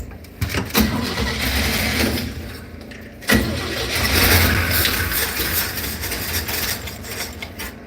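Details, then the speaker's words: 6.0 engine in a box van, odometer showing 166 (possibly rolled over), runs ragged and uneven with irregular surges and stumbles, engine struggling; cause not yet found. "She's [Music] hurting. I'm waiting for it to blow up."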